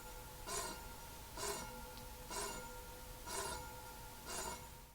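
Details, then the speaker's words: Electric bike rear disc brake with the rotor too close to one side of an off-center caliper: light metallic tick about once a second as the wheel turns from rotor rub; fixed by loosening the two caliper bolts with a 5 mm hex key and realigning. "if the disc is too close to either side it's going to make several noises and all of them come from the same problem it starts off pretty easy with a very faint wisp of a noise kind of sounds like this it could get a little bit worse and make a repetitive ticking noise that sounds like this"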